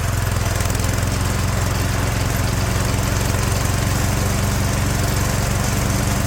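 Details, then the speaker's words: 36-year-old Toro Wheel Horse 416-8 garden tractor after fixing a leaking fuel line: single-cylinder holds a steady, even putt with no misses or surging; sounds pretty good, normal running. "I think we got it. There we go, sounds pretty good."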